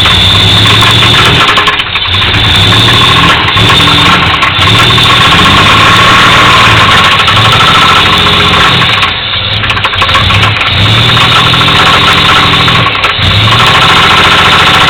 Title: 1985 Firebird [engine knock]